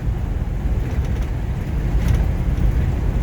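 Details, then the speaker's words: 1953 Buick Roadmaster Model 79R woody wagon, nailhead engine warm on a cold day, Dynaflow transmission at cruise: a steady quiet low rumble with wind hiss and slight tailgate rattle, no knocks or perceptible shifts; running normally. "the engine is very quiet and there are no perceptible shifts"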